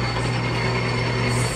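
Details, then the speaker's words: Used 2200x650 engine lathe running with the lead screw turning: steady low hum with constant tone and even mechanical chatter, no knocks or grinding; sounds normal, though an internal bushing is noted as needing repair. "Olha o barulhinho, gente. Olha o barulho da máquina. Ó, o fuso rodando."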